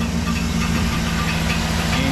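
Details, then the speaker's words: 2008 GMC Yukon XL V8 at idle with no fan fitted: light, irregular tinny tapping over the steady rumble, like something hitting the fan or shroud; intermittent knock, not rod knock. "can see we don't have a fan and it's kind of a tinny sound and uh kind of intermittent"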